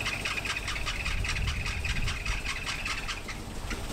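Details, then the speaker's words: 1979 Opel Monza series 1 barn find, first start after new HT leads and plugs; uneven, stumbling, lumpy idle. Rough idle, cause not pinned down; a strong fuel smell and squirt were noticed right after. "Cannot believe it's fired. lumpy. It is lumpy."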